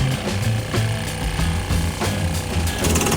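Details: Land Rover Defender camper water pump with 15 L boiler, shower shut: rapid pulsing chatter keeps going, pump never cuts out on its internal pressure switch, building overpressure until boiler safety valve lifts; cause unknown.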